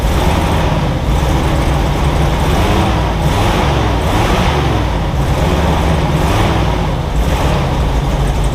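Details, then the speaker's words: Jeep CJ-7 fed fuel into the carburetor in cold wind. Lumpy idle with irregular stumbles about once a second and a dead cylinder. "thing almost idles it misses a bunch but it's starting"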